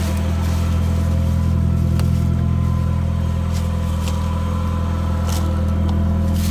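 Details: 1993 Nissan 240sx project car that needs a radiator, thermostat and belts, started on a fresh battery: low, throaty idle with a slightly uneven pulse about three times a second, plus revving; runs but needs sorting.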